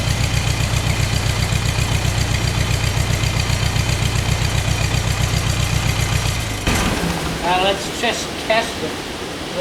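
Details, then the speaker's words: Ford 2N tractor running on three cylinders, started in winter with starting fluid, front cylinder suspected: choppy lopsided idle with a skipping stumble, then cuts out; misfire, one cylinder likely dead, cause not confirmed. "well the Ford tractor has been running on three cylinders"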